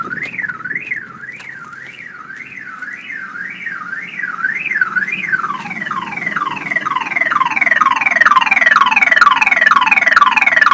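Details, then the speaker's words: Truck with a dead battery after its lights were left on all night, during a jump-start attempt from a Jeep: a loud rising-and-falling siren, then fast chirps. The weak battery can only set off the alarm. "so eventually evidently the power has the battery has just enough power to activate the alarm which means my truck thinks it's getting broken into even though it's dead"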